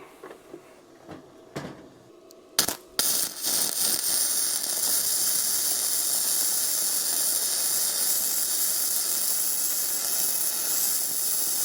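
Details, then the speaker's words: Bestarc entry-level gasless flux-core MIG welder on a 20 A circuit, on thick metal: steady, even frying crackle with no sputtering; good weld, still slightly hot. "Wow, that welds really nice. Still a little hot, so let's crank it down a little bit. And that's on decently thick metal."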